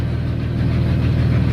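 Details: Ford ED Falcon turbo at steady idle after replacing non-fuel-rated hose on the fuel pump line with proper fuel hose: only a faint pump hum beneath the idle; fuel pump now barely audible.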